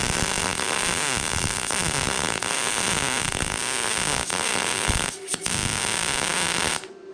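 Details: A Bestarc MIG145 MIG welder lays a bead that was judged to sound perfect. A steady, even crackling sizzle with no pops or sputter that stops cleanly; amperage was later found too low, causing burn back. Normal MIG welding arc.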